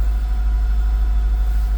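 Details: 2002 Acura RSX base K20 engine idling after starter replacement fixed a no-start: smooth, even low idle with steady gentle pulse, no knocks, ticks or grinding; healthy normal idle.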